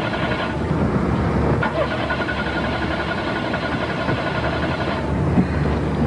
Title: car wont start